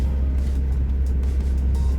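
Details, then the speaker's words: Honda wagon with H22 engine after tune-up with new distributor cap and rotor for misfires, driving down street: steady even engine drone, no stumbles or missed beats; runs clean. "so far going down the street that i'm on she feels pretty good she hasn't stumbled on me like she was doing the other night"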